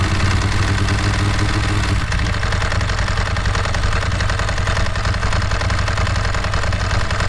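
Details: Ducati 916 starting on a newly fitted BS BSLi-05 lithium battery, replacing a failing Yuasa: the starter spins the twin briskly for about two seconds, then it fires and settles into a lumpy, even idle. Healthy fast start.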